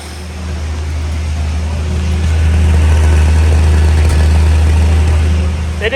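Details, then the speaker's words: 1971 Ford Maverick with a rebuilt 200 inline-6 (3.3L), stored since 1996, running off a fuel jug feeding the carb while fuel pump leaks are checked. A deep, even, low rumble holds steady with no misses or knocks. Normal idle. "even blow any crap out the exhaust it's running off The Jug now for sure"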